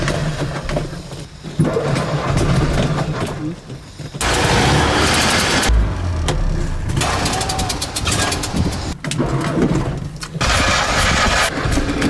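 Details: Old Fiat 126 in city traffic: small engine coughs and stumbles unevenly with gaps where it dies, then restarts roughly after cranking and pedal pumping, worsening. Engine sputtering and stalling; cause unclear.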